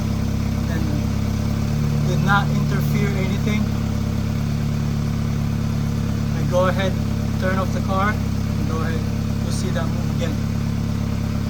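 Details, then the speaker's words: 2013 BMW 328i xDrive F30 after installing a new exhaust fixing bow to cure a rear exhaust rattle: steady, even low idle hum with no rattle or buzz from the exhaust; fixed. "all right that's good guys normal rattling noise see that i didn't hear any rattling noise"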